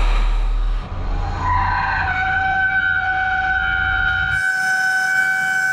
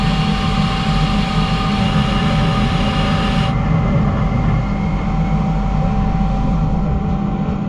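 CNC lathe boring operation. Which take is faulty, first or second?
first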